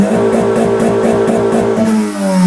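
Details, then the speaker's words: Honda Civic (modified) after ignition coil replacement, full throttle to rev limiter: engine holds high revs with a steady buzzing drone and cuts off cleanly at the limit, without the earlier laggy stuttering cut-off. "ഞാൻ full ചവിട്ടിയപ്പോൾ നിങ്ങള കണ്ടില്ലേ RPM എൻഡിൽ പോയി നിന്നിട്ടാണ് cutoff ആയിരുന്നത്."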